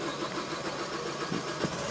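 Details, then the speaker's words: Diesel pickup engine (tachometer to 4000 rpm), cab start: slightly longer cranking, then steady idle with light rhythmic ticking clatter from in-chamber rail injection; normal diesel injector noise. "demora un poquito más su encendido y además tiene ese sonido característico de la inyección como un rail. El inyector, como es dentro de la cámara, hace un pequeño ruido y ese golpeteíto es tradicional de los motores diésel."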